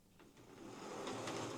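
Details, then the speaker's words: Old Hornby HST model locomotive before servicing, on test track: quiet, soft, even motor hum with light track clicks building as it pulls away, much quieter than the other rough-sounding unit; no buzzing or grinding, running normally. "Much quieter. Yeah, that one seems okay."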